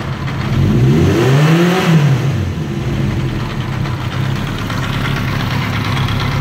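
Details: 1980 Kawasaki KZ750 motorcycle: engine blips briefly, then idles with an uneven lumpy beat that never settles, and stalls; cause unknown.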